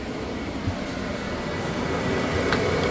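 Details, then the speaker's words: Loud, steady rushing roar of an RV propane furnace blower building as it spins up; extremely loud. "that is the furnace noise right there you you hear how Extremely Loud it is"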